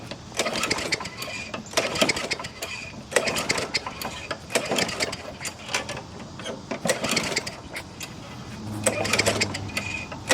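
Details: 5HP Murray mulcher after carburetor cleaning, primed and refuelled with drained gasoline: repeated pull-start rattles in uneven bursts, engine turns over but never fires; cause not confirmed.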